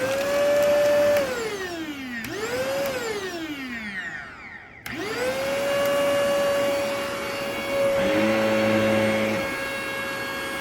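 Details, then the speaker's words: Shark vacuum, a cheap Black Friday model; high steady motor whine climbing on switch-on and sagging at switch-off with rough added tones mid-run; owner says the motor is actively burning out. "That motor is burning out actively."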